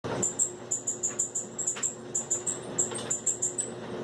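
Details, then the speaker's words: Samsung dryer running with sharp, high chirping squeaks about twice a second from worn or dirty drum support rollers, before it stuck and stopped. Fix: clean or replace the roller wheels. "the past couple days it's been real squeaky like there's a wheel squeaking"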